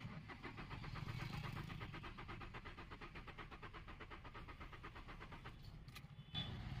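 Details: Renault Kwid that stalled while running: steady starter churn, roughly three turns a second, for several seconds without firing; cranks but will not start, spark plugs and coils being checked, cause not confirmed.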